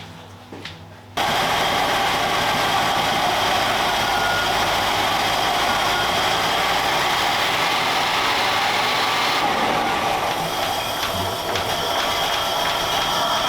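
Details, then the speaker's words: Range Rover Classic V8 with an idle that surged up and down: a busy, uneven hum with an irregular pulse. The idle air control stepper motor is faulty; unplugged, the engine idles at about 1100 rpm. "okay it's definitely the stepper motor because when I unplug it it just revs about 1100 RPMs at just idle"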